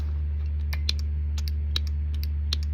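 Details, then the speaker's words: Winch on a homemade swing-out rear bumper of a Suburban camper, with wireless control, will not run in reverse. Irregular sharp relay-style clicks over a steady electrical hum and no motor turning. Owner suspects the solenoid/relay module; the source of the clicking is not yet confirmed. "Let's see where is this clicking coming from."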